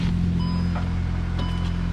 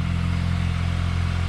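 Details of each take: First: VW Golf GTI MK8 with Southbend Stage 3 Endurance clutch and Unitronic Stage 1+, clutch not fully broken in (about 200 miles to go), recorded outside at idle: steady low rumble with faint uneven pulsing, mild clutch chatter. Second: VW GTI Mk8 with Unitronic Stage 1+ and a Southbend Stage 3 Endurance clutch about 300 miles short of break-in, recorded outside at idle: a low, even idle with light rapid chatter, quieter than others report. Normal performance-clutch chatter.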